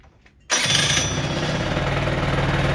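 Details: Warm Peugeot Jetforce two-stroke scooter with the carburettor idle screw turned fully in: after a brief quiet it buzzes at a fast, steady, excessively high idle. Backing the screw out lowers the revs.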